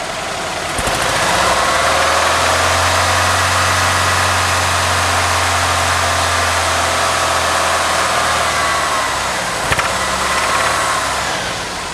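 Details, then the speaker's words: 1987 Ford Thunderbird Turbo Coupe started after sitting over 18 years, oil really low: steady idle with a light tick about three to four times a second. It seems to come from the top end, cause unclear. "I just wonder where that sound's coming from. Oh, that's turbo. Sounds like it's from the top end."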